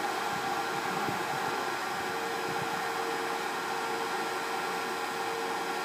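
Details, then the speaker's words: Pinzgauer 710K Eberspächer B4L/BN4 gasoline heater bench test before restoration, restarting around 39°C toward about 60°C setpoint: even airy blower rush with faint constant whine and flame hum, no surges or rattles; normal heater operation. "it probably sprays it there and we can hear this the the humming of the the the the the flame now the temperature is climbing"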